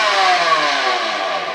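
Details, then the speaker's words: Electrolux Twin Turbo Z522 vacuum, worn, before refurbishment: high, rough whirring with gravelly edge, steady pitch; bad bearing definitely in the motor, owner hopes it is the serviceable top bearing. "There is definitely a dodgy bearing somewhere, and I've had the brush rolled out. When James was here, I lobbed the brush rolled out just to see if I could pinpoint, and it is definitely coming from the motor."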